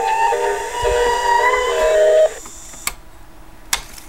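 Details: 1960s AIWA TP-40R portable transistor DC-bias rim-drive reel-to-reel, leaky electrolytics replaced and bias adjusted, playing back a music test recording: slow pitch wavering that comes and goes, wow and flutter from the low-quality rim drive.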